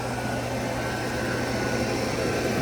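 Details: Motorola 55A 8MR internally regulated alternator on a bench rig, about 28–30 A output with the Victron DC-DC charger putting 19 A into a LiFePO₄ bank; steady even whir and fine whine, no rattle or growl, normal alternator under load.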